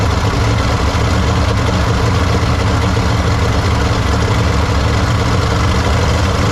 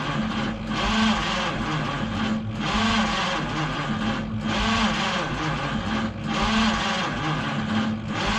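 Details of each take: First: 1953 Studebaker Starliner, off the road possibly 45 years, odometer 38,360 miles, first start after new 6 V solenoid and distilled water added: low, fairly steady idle, slight unevenness, no knocks or misses, no water leaks; still needs plugs, wires, points, carburetor kit. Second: 1953 Studebaker Starliner, possibly off road 45 years, old plugs, wires, points, 6-volt, factory wiring bypassed with hot wire to coil: starter churns about eleven seconds slowly and unevenly, never fires; erratic spark, owner suspects dirty points.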